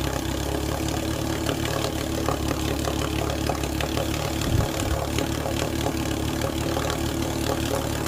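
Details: 1948 Sea King 5HP two-stroke outboard, first startup and break-in run after mechanical rebuild: steady even buzz, no misses, knocks or surging; runs smoothly, normal running.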